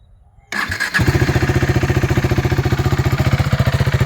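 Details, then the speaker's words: 2016 KTM RC 390 BS3, 29k km, ECU checked, recorded with mic removed: engine catches after half a second and settles into a steady even single-cylinder thump, no knock or rattle; runs healthy. "അപ്പൊ ഇതാണ് വണ്ടിയുടെ sound ഒക്കെ കേട്ടോ sound വ്യത്യാസമോ കാര്യങ്ങളോ ഒന്നും വന്നിട്ടില്ല"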